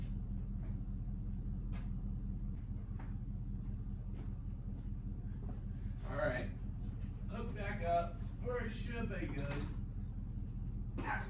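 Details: Vintage Toyota 4x4 truck started for the first time in a year after charging the battery and reconnecting the fuel pump: quiet, even low rumble at steady idle under nearby handling noise, no hunting or misfire; running cleanly.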